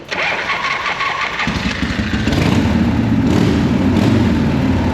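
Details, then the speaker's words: 1979 Harley-Davidson Shovelhead that had sat about six years, after flooding (key possibly not on run): brief cranking, then the twin catches and settles into a loping, uneven idle once the flooding clears. "Alright, now it's ready. It was flooded."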